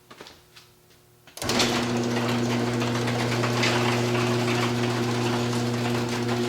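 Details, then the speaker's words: Garage door opener running before roller replacement: steady motor hum with rattly metal-on-metal clatter about four per second from worn roller bearings, loose despite greasing, grinding in the track. "A lot of metal on metal. Real noisy. And if you can see in there, these bearings are toast."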